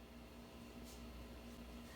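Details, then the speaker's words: Sears Silvertone Twin Twelve 1484 tube amp with all tubes running after a resolder fixed its noise, camera pressed to the speaker: only a faint low steady hum under soft hiss, no crackle or buzz; the amp is quiet. "perfect there's no improving on this I think this portion is done"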